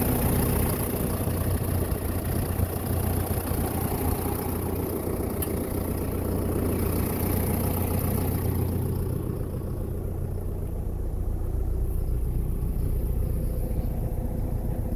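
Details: 2012 John Deere 6230 tractor, listed as running with a bad transmission: a low, steady diesel idle with an even beat and no misses or knocks. The engine is idling normally.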